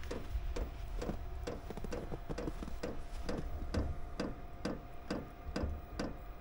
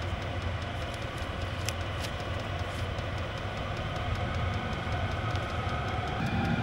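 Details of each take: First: Chinese diesel heater with fuel-related error codes E08/E10 after installation changes, running rich and smoking while glow plugs heat: soft steady fuel pump ticking about twice a second over low hum, burner never catches; failed startup. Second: Chinese diesel garage heater after fuel line fixes for E08/E10 fuel error codes, a minute or two after start: steady fan rush on high with fast, even pump ticking about four per second, exhaust clear with no smoke; running healthy.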